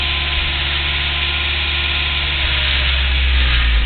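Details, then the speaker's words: Idle around 1000 rpm, where rpm jumps about 400 with slight throttle near 1050: a sharp, fast, even tick riding on top, with occasional small misfires now heard; cause not determined. "pretty nasty tick. It's just strange. Now I'm hearing little misfires."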